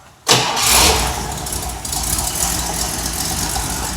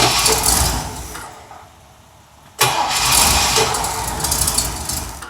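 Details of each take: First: Mercedes at idle: the engine catches and settles with a raspy, hissing puff from an exhaust leak at the manifold-to-pipe joint, where the bolt is seized and won't come loose even with heat. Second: Mercedes petrol engine fires up and settles into a steady, even run, a clean healthy start, after coil repair; an exhaust leak at the manifold stud remains unfixed.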